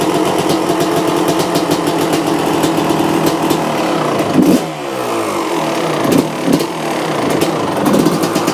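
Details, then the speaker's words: 1995 Honda CR250 after a carburetor clean, choke on, first start: rough two-stroke idle with blips and a raspy puffing exhaust leak at the front. The motor itself sounds fairly quiet, and the stuck choke/idle circuit needs adjusting. "Apart from the exhaust leak and everything coming from the front, the motor sounds reasonably quiet."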